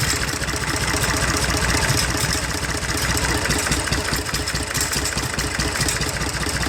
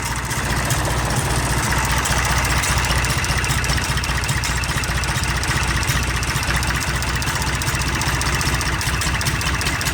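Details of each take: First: IH 484 diesel tractor with PLN injection, running after cold start: uneven loping idle with dropped firing pulse; cracking injector lines shows number 1 makes little difference, weak cylinder; odd intake sound also noted. Diesel misfire. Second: IH 484 diesel tractor, cold start around 55°F: steady, even idle with deep low rumble, no knocks or misses, still very smoky but sounding much better; normal diesel idle.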